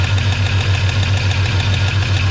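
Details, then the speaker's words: 1984 Chevy truck with a 454 in place of a 305, revived after two years dead, 50 psi oil pressure. Fast, even low tapping at idle is an engine tick; owner wonders if it's a lifter, and also says it sounds like a rod. Unconfirmed. "I don't know if that's a lifter what is that"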